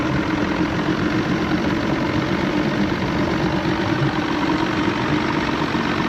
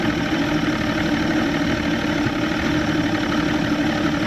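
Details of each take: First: McKee Craft boat with Evinrude 150 XP outboard under way: steady drone with an uneven, stumbling note and no clean pull; misfire with loss of power, suspected fuel starvation from dirty carb high-speed jets. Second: Evinrude 150XP two-stroke outboard on a McKee Craft boat with loss of power, after replacing the fuel filter and lines and running from a separate 6-gallon tank: steady, smooth idle with no misses; dirty carb high-speed jets suspected.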